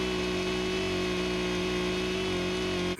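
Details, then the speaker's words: Echo CS-590 chainsaw on a laser tachometer, high-speed screw being set below the 13,000 RPM limit: steady high-pitched scream held flat at wide-open throttle for about three seconds, then cut; adequate RPM, before raising it. "That's a perfectly adequate RPM, but I want more power, baby."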